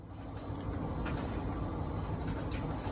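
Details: Whirlpool dryer, model YWED9620HCO, after replacing the belt, drum rollers and idler pulley to cure a squeal: smooth, low, even tumbling rumble with no squeal or scraping; runs quietly and healthy.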